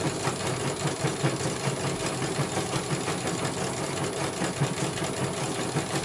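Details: CNY computerized embroidery machine test-sewing after a service for a motor that would not turn. Quick, even stitching clatter, about two or three beats a second, with a smooth hum underneath. It finishes one color and the technician calls it very good.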